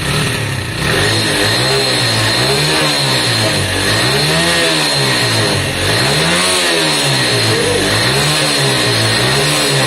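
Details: Lexmoto Valiant motorcycle after up-jetting, choke off: crisp, even revs blipping up and back down about every two seconds, clean pickup with no stumble or popping; sounds much better after the upgrade, running healthy.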